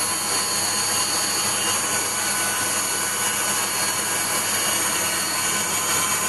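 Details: Waldown/Dumore tool post grinder on a lathe internally grinding a bronze bush: high whining spindle with faint, slightly uneven hiss as the wheel just kisses the bore; contact uneven, set by sound before locking down.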